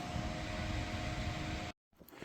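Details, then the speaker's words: Dell Dimension 9200 desktop powered on with no rear fan: loud steady fan roar with a faint constant tone, no beep codes and no display before power cuts; fans running hard, no POST, graphics card suspect. "wow this thing is loud um and for not having a back fan there is a lot of air movement coming through there so I guess kudos to Dell"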